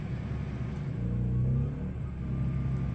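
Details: Westinghouse iGen2500 inverter generator (2200 running watts) at about 3,500 ft MSL, high density altitude, taking on a 15k BTU RV air conditioner switched to low cool in a Forest River Cherokee Alpha Wolf 26DBH-L; even low rumble swells briefly, then settles to a steady drone, holding the compressor load.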